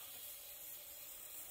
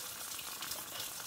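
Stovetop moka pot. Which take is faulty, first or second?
first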